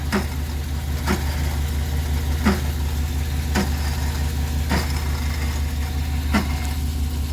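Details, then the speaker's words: Chevy Express 3500 van, 6.0 L with 4L80E, at idle: a sharp, uneven click about once a second over the drone, and it stops when the AC is set to max. The owner suspected the fan motor; it is a failing belt pulley bearing. "that sounds like a like a fan motor is is trying to run but can't turn it to Max AC and it stops"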